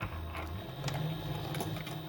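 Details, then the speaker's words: Sailrite Leatherwork sewing machine after needle bar height adjustment, stitching in reverse over a doubled vinyl seam: steady low motor hum with crisp, evenly spaced ticks; hook clicking normally. "And as long as I hear that clicking thing, I'm happy."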